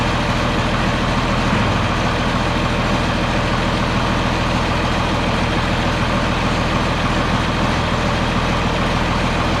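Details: John Deere 4640 tractor diesel idling after being split for a week for a 2-speed transmission transplant; steady even low rumble with no knocks or misses: normal idle.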